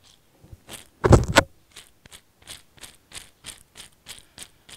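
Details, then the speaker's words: Wheeleez balloon tire bearings, hand-spun after removal: dry, gritty scraping in quick pulses from sand and dirt inside; rough bearings. "can hear they don't sound the best now you buy a new set of bearings for twenty-five dollars"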